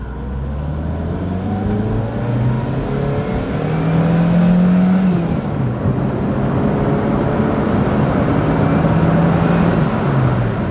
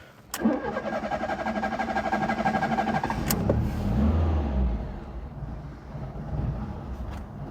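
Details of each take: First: 1992 Fiat Tipo 1.4S petrol four accelerating on the road, partly downhill, under road and wind noise: engine note climbs smoothly through the revs, comes on cam and sounds willing, no misfire or rattle; normal healthy acceleration. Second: 1992 Fiat Tipo 1.4S with carburettor: a short crank, then it catches and settles into a low, uneven, lumpy idle that sags. The idle seems a touch too low and the engine needs choke.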